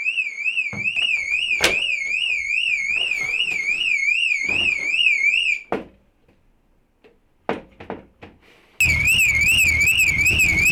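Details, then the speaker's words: VW Polo 6n2 being revived after sitting six years, with no immobiliser or central locking. Loud warbling siren cycles up and down about twice a second, cuts out, then restarts. Car alarm keeps triggering and needs disconnecting. "so I don't know if you can hear me over the bloody annoying alarm but we need to disconnect it"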